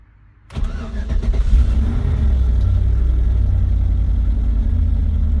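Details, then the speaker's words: Volvo that showed no oil pressure, just after the oil pressure sensor was replaced: the engine cranks briefly, catches cleanly and settles into a steady, even idle with no ticking or knocking. Start and idle are normal. "oh yeah good that's much [Music] better"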